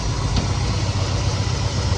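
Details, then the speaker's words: 1969 Chevelle SS big block, sat 37 years: lumpy, uneven idle with a regular stumble, a dead miss. Pyrometer exhaust readings are all over the map (600, 280, 500, 320°). Owner will check the carburetor for debris first and fears a lifter or valve problem. "Because yeah, it has a miss in it, and yeah, I'm just hoping we don't have a lifter going away or a valve issue or something like that."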